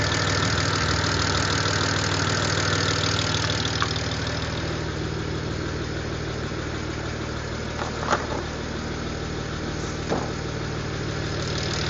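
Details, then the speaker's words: 2007 BMW N54, first start after installing new coded index 12 injectors, car had been sitting: fast light ticking about three per second over slightly uneven idle; owner suspects lifter tick until oil pressure builds, feels slight misfire. "think because it's been sitting for a while, that's just like lifter tick. Once it gets oil pressure, it'll be fine."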